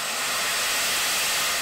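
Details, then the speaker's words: 1910 Stanley Steamer model 60 at shut-down, fires out, boiler blown down via four bottom taps including the water level gauge: loud steady rush of hissing steam; normal blowdown. "this car has four taps off the bottom of the boiler that blow it down from four basically four quadrants"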